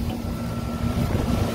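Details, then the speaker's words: Carrier rooftop unit after replacing the sensor with a corroded terminal that kept the compressor from starting; controller shows cool Y1 out, compressor running with steady low hum and faint constant tone, no knocking; normal cooling. "and there we go cooling's running"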